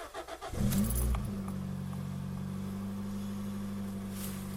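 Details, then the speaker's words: Toyota Yaris first generation 1.5 TS: after a sudden bang while driving, a loud deep raspy rally-like drone from the rear, worse on acceleration and very annoying from 80–90 km/h; exhaust leak at the rear silencer, which is replaced. "bruit légèrement rallye on pourrait dire vous pourrez trouver sympa mais c'est un peu gênant à partir surtout à part lors des accélérations et à partir de 80 90 et devient très gênant"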